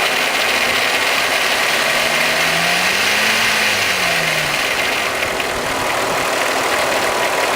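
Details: Golf VR6 Mk3 petrol engine idling with a dry, metallic timing chain rattle clattering over its steady hum.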